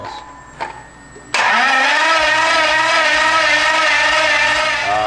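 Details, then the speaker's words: Dodge Viper with Hellcat Redeye swap, fresh dry engine, cranking to build oil pressure after fuel prime gave no rail pressure: steady starter whine about four seconds, no firing; suspected stock lift pump not getting voltage, surge tank not filling, unconfirmed. "it was a little bit unsuccessful today. So what I suspect happened was the way the surge tank's set up is the stock fuel pump from the stock fuel tank feeds the surge pump."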